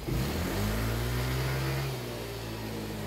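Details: Yamaha Mio i 125 (M3) scooter after a top overhaul with a thread retread to oversize. A quick throttle blip climbs cleanly and drops back to a smooth, even idle with no rattles or misses. Normal revving, healthy engine.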